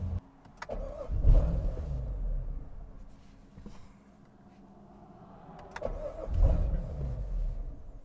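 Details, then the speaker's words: Tuning test on a car: with the MAF airmass filter set to zero in the tune, two short cranking bursts briefly catch with a low rumble then die; car won't run, filter apparently affects mass airflow calculation. "now the car won't even run so it's very interesting there is something going on with this mass airflow filter that is affecting how the mass airflow calculates air"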